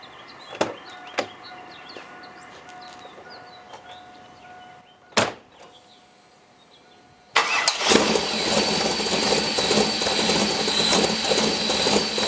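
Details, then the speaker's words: LS7 V8 in an S10 with a new idle air log, dead cold start at about 50°F: fires up and idles roughly at about 500 rpm under a thin high whistle as the idle air control opens fully. Owner suspects the throttle blades are too tight until warm. "cold it doesn't want to idle but about 500 rpm and you can hear the idle air control open up all the way"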